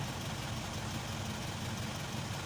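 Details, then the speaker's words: Isuzu 4HK1 truck (Reward) that cranked but would not start with check engine light, DTC P0651 flash code 56, now idles after ECM relay replacement: low, even diesel idle, steady beat, no misfire or stumble. "Ayan paandarin natin Ayan so Ayos na po yung problema yung ecin relay lang yung problema"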